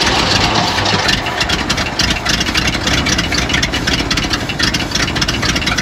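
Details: Abandoned 1970 Ford F600 U-Haul truck that sat about 30 years, start attempt: starter churns with an even rapid whirring beat, no cylinder catches; cranks, no start. Spark questioned.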